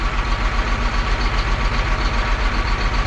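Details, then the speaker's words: John Deere 8235R tractor diesel idling during cylinder cut-out test: steady low thump about 150 a minute with slight lope; number 4 dead, number 3 weak; owner doesn't suspect injector, suspects low compression. "Number 3 ain't doing much. Number 4 is absolutely doing nothing."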